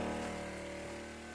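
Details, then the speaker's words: Cistern water pump after a freeze, line rerun into the outdoor cistern, pumping water back into the indoor cistern: steady even motor hum at constant pitch, no grinding, chatter or surging; running normally. "I have got the line all back, run into the cistern again, and at the moment, you can hear the pump running, and you can see the waterfall."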